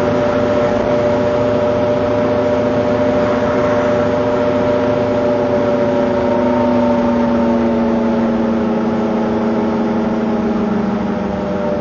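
Engine pulls with a steady droning tone that shifts slightly as it accelerates over a constant rumble; the source of the noise is undetermined.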